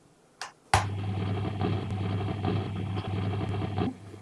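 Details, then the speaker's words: Second-hand Marshall DSL40CR guitar amp in High output mode on the clean channel: constant low hum with irregular crackling hiss, unaffected by volume; low mode works fine. Power tube noise, fixed by replacing and biasing the tubes. "so it's got this constant sort of irregular noise coming out of it. So this on the clean channel now, and changing the volume doesn't actually make much difference."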